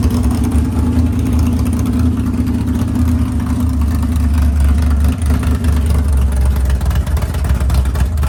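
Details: Freshly built 500ci big-block Mopar in a 1969 Barracuda, first start: idle turned down to about 1100 rpm, deep lumpy cam lope, no ticking or exhaust puffing; normal healthy idle.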